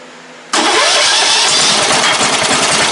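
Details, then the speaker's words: Briggs & Stratton ride-on mower engine after fixing the fuel system, started with a screwdriver: catches at once, steady even run, no misses or knocks; normal start and idle. "Oh yeah. She'll sit there today. Yes, sir. Good engine. Impressive."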